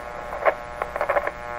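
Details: 1925 Magnavox Type D TRF radio. A steady low hum sits under crackly bursts as the controls are worked, with an intermittent contact suspected and no station coming through; mains hum, no reception.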